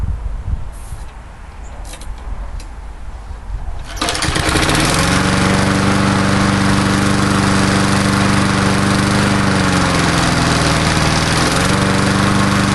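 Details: Old Murray Dynamark 22 mower, 3.75hp Briggs & Stratton, cold start after about seven years stored, fresh gas: after a few quiet seconds it fires and settles into an even, steady beat with no misses or knocks; normal running.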